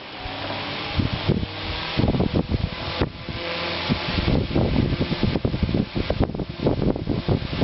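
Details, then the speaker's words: Late-1930s Montgomery Wards 8-inch table fan running steadily after a new cord, soldered connections and heat shrink over the old motor leads; it once smelled and arced from the wires, but now hums with no arcing or rubbing. "Now that I soldered my connections, and I soldered put some heat shrink over the motor leads because they're really old, it runs great."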